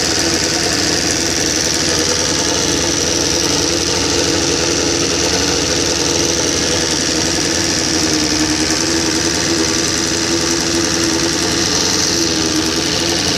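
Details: 1999 Suzuki SRAD 750 after rebuild with 600 high-compression head, valves just adjusted: fast steady metallic ticking over busy idle, tracking engine speed, likely top-end/valvetrain; owner suspects cam chain tensioner problem.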